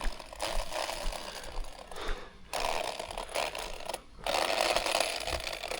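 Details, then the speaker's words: Traxxas Rustler 4x4 Ultimate RC truck on its first run: harsh mechanical whirring in uneven bursts with short gaps, a gritty drivetrain grind; owner suspects gear mesh or pinion, stones considered, pending inspection. "Yeah, that's mesh, guys. Interesting. Very interesting."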